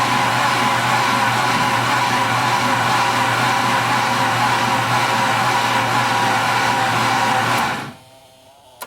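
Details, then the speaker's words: Ford Sierra Cosworth, freshly rebuilt engine, first start attempt: steady cranking whir for about eight seconds to build oil pressure, with the ABS buzzing in the background; oil pressure was made. "So we'll just go ahead and crank out and try and make some oil pressure, which would be nice. The buzzing is just my ABS, so that one's obviously oil pressure."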